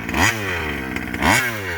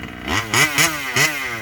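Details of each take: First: Rovan 5B fifth-scale two-stroke on its first run with a new carb and 10k clutch: it revs in sharp bursts, then tops out and sags, losing power: the over-rich high-end limit. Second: Rovan 5B fifth-scale two-stroke on its first run with a new carb and 10k clutch. Crisp blips rise and fall cleanly with no cutting out or flooding on top end: normal revving.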